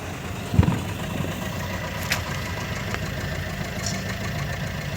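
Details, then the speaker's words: Maruti Suzuki Ertiga Smart Hybrid with morning white smoke, unstable RPM and engine knocking: uneven hunting idle with occasional hard knocks; fixed by servicing dirty fuel injectors, after which RPM held steady and the smoke stopped. "Smart hybrid Ertiga, morning black smoke, RPM problem, engine knocking."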